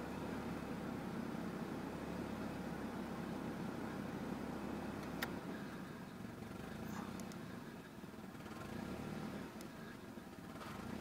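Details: 1992 Nissan 240SX petrol engine with a rough, bouncing idle: the speed sags and picks back up instead of holding steady.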